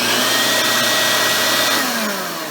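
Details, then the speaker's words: Shop vacuum motor sounds strained with a high whiny note that holds then sags; filter only slightly dusty and inside clean, slight overheating smell, owner suspects overheated motor damaged impeller, cause unclear. "you can kind of hear it struggling and I'm not sure why I just wonder if perhaps the motor has gotten too hot at some point and that's caused an issue with the impeller or something I don't know"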